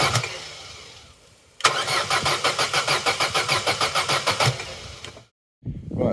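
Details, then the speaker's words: Long-neglected Vauxhall Corsa B, sat 4-5 years, new battery at 12.1 V: even starter cranking about three beats a second that never catches; it ran on fuel introduced through the intake, so spark is good and the fault lies in fuel delivery. "that may not seem like much to some but that is significant we know the engine can run and we know the fault lies in the fueling"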